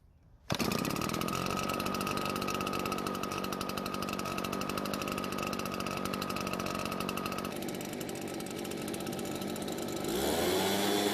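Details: Garage-sale Redmax backpack leaf blower two-stroke, run with air filter refitted after testing without it: steady high buzz at an even pitch, dipping slightly then picking back up; runs fine with or without the filter.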